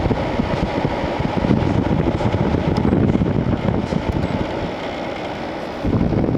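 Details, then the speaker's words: 2001 Sharp Comfort Touch 5000 BTU window air conditioner AF-S50CX, room about 69°F: after switching from cool to fan only, fan rush continues over a steady compressor hum; compressor did not shut off, owner guesses a protective delay. "Compressor didn't shut off though. Maybe there's like a delay there so you don't lose the compressor."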